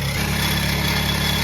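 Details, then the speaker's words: Nissan Sentra B14 project car, cold start idling around 1000 rpm: steady hum with a faint rough whir from the front of the engine. Bearing suspected; source unclear. "Cold, hindi, cold start pa. 1K lang, tama. May, ba't ang ingay?"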